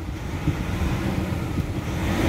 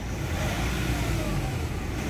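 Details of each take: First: Nissan Calibre (remapped) at idle with aircon on, before treatment: on throttle the revs climb sluggishly and hang, delayed response; suspected uneven, poorly atomized injector spray, fuel treatment to be added to the tank. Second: Nissan Calibre after treatment for throttle delay and low power: engine picks up promptly from about 1,000–2,000 rpm without needing 3,000, a full steady climbing drone; responsive, healthy pull.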